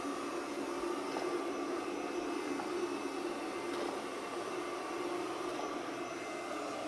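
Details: Pure Clean PUCRC99 robot vacuum (11.1V 2000mAh lithium-ion battery) after repair of running only minutes and not charging: even, steady small motor and fan whir, no catches, rattles or pitch changes; running normally, battery still showing two bars.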